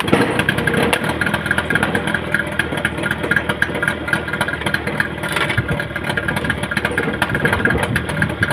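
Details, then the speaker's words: Yamaha 15 hp outboard that the owner reports sounds rough. In forward gear it runs rough with a faint, quick tick-tick over the engine noise. "mesinnya itu dia mesinnya ada bunyi tik tik tik ketika kita masukkan gigi maju dia kentara sekali bunyi tik-tik"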